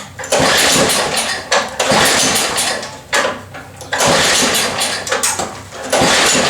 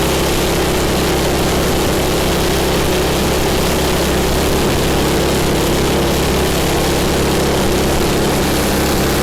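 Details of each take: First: Cheap MTD snow blower small engine with governor issues, first run after work: screams at a high, steady speed with loud surges and dips, running too high; governor spring set too tight and needs tuning down. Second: MTD snow blower small single-cylinder engine, owner-reported governor issues, after governor spring repositioned: steady, even run with no hunting or surging; governor and mixture sound properly set, normal running.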